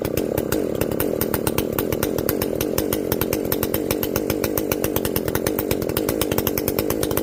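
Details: Echo CS-590 chainsaw after carb limiter removal and opened-up exhaust, high jet turned up a full turn plus low jet richened: crisp, rapid, evenly spaced firing at high revs, steady while cutting, no bogging or surging; runs clean, not running hot.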